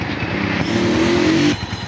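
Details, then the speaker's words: 2017 Honda CG125 after general tuning fixed missing, vibration and engine noises (genuine air filter): steady, even, quiet idle with no tappet clatter or misses. Healthy. "Sound सुन सकते हैं आप, बिल्कुल चुप खड़ा हुआ engine."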